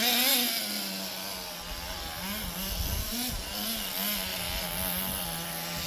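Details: Roughly 20-year-old restored HPI Nitro Rush Evo nitro RC buggy with new glow plug and fresh fuel, warmed up and tuned, running around the garden: high buzzing two-stroke scream rising and falling cleanly with throttle, crisp and responsive, running as it should.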